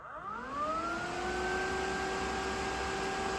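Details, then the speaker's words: Lexus GX470 AC condenser fan being fitted to a V8 4th-gen Toyota 4Runner, bench-tested on a switch panel: whirs up smoothly to a steady, even tone with no rubbing or grinding; bearings sound good, normal. "voila we power that's a nice clean fan everything sounds good bearings sound good nice speed"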